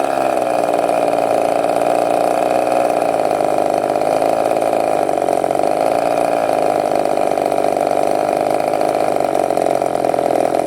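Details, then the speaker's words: Glow-plug methanol RC engine, bench test after reaching about 10,400 rpm: fast, steady buzzy idle around 2,500–3,000 rpm, too high; mixture needle may need closing further. "ou le ralenti il descend à 2500 tours je pense qu'il faudrait encore fermer la vie de richesse mais bon j'ai l'impression que c'est au alentours de 3000 ranti"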